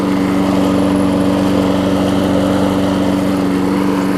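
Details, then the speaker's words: 5 hp Briggs Quantum engine swapped onto a 2014 Weed Eater big-wheel push mower deck, running after the swap while burning off oil smoke; steady, even single-cylinder drone with no misses or knocks; runs really well. "With the older engine on it, runs really well too, so the old quantum engines are good."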